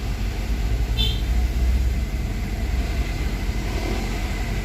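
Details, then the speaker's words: Honda Jazz after repair of an IACV fault with the check engine light now off: steady, even idle, cold, above 1000 rpm and expected to drop gradually to 850; normal cold fast idle. "Nah ini normalnya ya CV itu bekerja dalam kondisi dingin rpm nya masih tinggi ya di atas 1000 jadi nanti rpm nya ini akan turun bertahap sampai 850 dalam kondisi stasioner normal ya"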